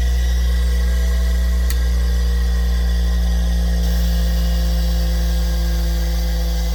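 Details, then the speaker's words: Bench grinder after rewiring the switch, which had smoked while off: steady even motor hum with no knocks or pitch wobble; running smoothly after the switch wiring fix. "And there we go. It's working. That's what it was."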